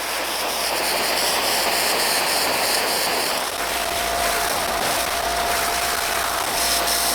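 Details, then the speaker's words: Sub-$20 no-dilution foam cannon with 80 ml undiluted Adam's Mega Foam and a new pickup tube, past two minutes of run time: steady hiss turns choppy and pulsing, about four spurts a second. "We are over two minutes but we are again we're spurting. I don't even know if spurting is an actual word but whatever that is it is happening."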